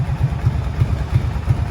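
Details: Brute Force V-twin idling with a lumpy but steady beat, about three thumps a second and no ticking; runs healthy after a jet kit, valve adjustment, new carb boots and Dynatek CDI aimed at lean backfiring and stalling.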